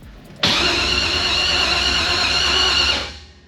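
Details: LS-engine drift car, new starter fitted: steady high starter whir for about 2.5 seconds, the engine never catches, then spins down. Battery at 12.5 V but no RPM signal; owner suspects a corrupted tune and plans to reinstall it. Cranks but no start.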